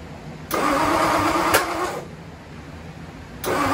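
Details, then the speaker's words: Ford Y-block first start attempt, plug wires set for clockwise distributor rotation but the Y-block distributor spins counterclockwise: rough, uneven cranking bursts with a sharp backfire pop; crossed spark plug wiring. "so as you saw in those previous Clips I had a little bit of an issue I made an assumption because of the firing order that the uh distributor also spins in the same direction as the Flathead but in the Y block it's actually counterclockwise so it's no shock that it was going all kinds of crazy b"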